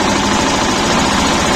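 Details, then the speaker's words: Shifeng SF 138-2 single-cylinder diesel that knocked, after a thin (about 1 mm) shim was placed under the fuel injection pump: steady idle with even, soft low thumps and no sharp knock; runs smoother, healthy. "просто подложил и всё двигатель совсем по-другому стал работать и мягче"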